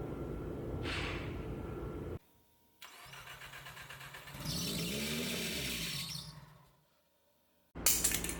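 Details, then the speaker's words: Heavily boosted, rebuilt Nissan X-Trail engine after a 30 PSI, 537 hp dyno run with water from the overflow: turns over in rough bursts with pauses, barely catching. Radiator pressure test confirmed water entering cylinder 2 from a lifted head. "We pressure tested the radiator. Sure enough, water's going into cylinder 2."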